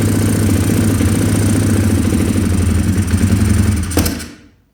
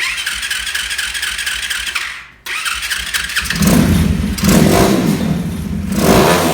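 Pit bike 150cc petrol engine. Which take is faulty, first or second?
first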